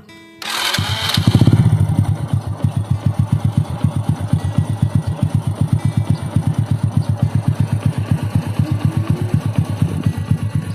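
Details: Old Honda Supra X 100 single-cylinder bored up with a Vario 125 piston, first run after assembly: starts cleanly and settles to an even, steady thump of about four beats a second with no ticking; a healthy idle.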